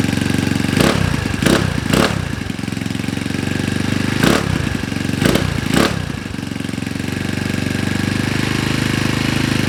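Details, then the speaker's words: Honda Ruckus with rebuilt GY6 171cc engine, first start after install, idle adjusted, assembly lube burning off: steady idle with a few sharp blips, settling back smoothly each time; normal idle. "Alright, so it looks like it starts. That's awesome. It sounds good."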